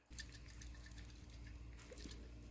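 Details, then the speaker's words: Ariens snow blower (model 910995) with Tecumseh H60-75361J engine that ran only on full choke, then wide open, then leaked fuel: faint sloshing and dripping as the original carburetor float is shaken; cracked float filled with fuel. "you can hear there's fuel in that float. There we go. There's the fuel dripping out of that crack in the float."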